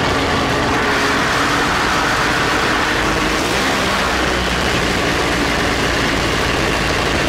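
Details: Polaris Ultra snowmobile two-stroke after carburetor rebuild and balancing: steady even idle with a busy crackle on top, no misses or surging; carbs balanced, normal idle.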